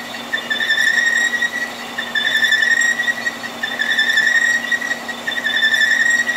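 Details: Horizontal milling with a resharpened staggered-tooth wheel cutter, radiused corners, cutting keyways in marine shafting under power feed with coolant; steady high singing tone gently pulsing about once a second, sounds as it should: a normal, healthy cut.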